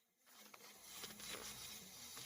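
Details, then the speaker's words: 1995 Ford F150 XLT 5.8L 4x4, engine running, with non-working temp gauge: steady airy hiss from low near the firewall behind the heater core, lasts briefly; owner suspects AC compressor, unsure. "is where it's coming from down in here i don't know if it's the ac compressor i think that's ac compressor i'm not sure but it's coming from right in here"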